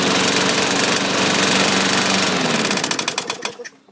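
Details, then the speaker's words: Small engine with rough, rapid rapping knock, present since first start and not gone after oil change and blade swap, winding down to a stop; engine knock, cause unknown. "we had a little knockage when we first initially started this same thing the knocking didn't go away"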